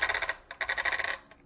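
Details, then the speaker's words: Ridge Racer U4 RC car after pinion fix and reassembly with mod 1 gearing: quick clicky gear whirr in short throttle bursts, crisp and even with no grinding or skipping; drivetrain sounds perfect. "That sounds perfect."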